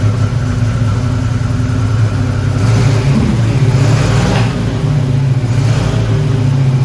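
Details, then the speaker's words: 1987 Buick Turbo T (Grand National), running after 12 years, with a part zip-tied away from the fan: deep, smooth roar swells when revved and falls back cleanly, no scraping or ticking; normal running. "And yeah, just zip tie it for now, just so you can hear this sweet engine roar some more."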